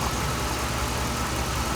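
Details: 2007 Dodge Ram 5.7 HEMI V8 idling after a water pump replacement; 140°F at the thermostat, with the radiator hose squeezed to burp air from the coolant. Steady, even low rumble with no ticks, squeals or misses. Normal idle.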